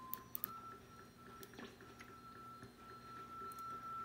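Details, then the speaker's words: Homebrew 40-meter binaural QRP receiver with open wiring, tuned to a CW signal: steady tone with rhythmic sharp ticking behind it, interference from the nearby cell phone used for filming; fades when the phone is moved back. "if you hear the slot rhythmic ticking in the background the tick tick tick tick tick that's actually interference from my cell phone that I'm videoing with"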